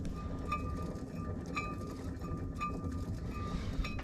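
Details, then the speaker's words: 1986 GMC Sierra 3500 dually, passenger side with the brakes torn down: the hub turned by hand gives a rough, gritty rumble with a light tick about once a second, and the wheel bearings sound bad; the caliper is also seized. "those barings don't sound good at all"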